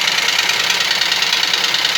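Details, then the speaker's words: Ford Ka 3-cylinder with oil warning light on and engine noise: a harsh even metallic clatter with no deep tone; timing belt material debris blocked the oil pickup, causing oil starvation. "Esse carro apresenta uma avaria de luz de óleo acesa no painel e barulho no motor."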